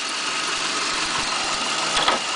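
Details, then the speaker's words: 2001 Mitsubishi Galant that randomly stalled, after replacing a counterfeit camshaft position sensor with a new one: starts right up and idles evenly with soft regular pulses, no stumble or miss. Normal idle. "Boom. started right up. Great. Idle. Idle is just seems just fine."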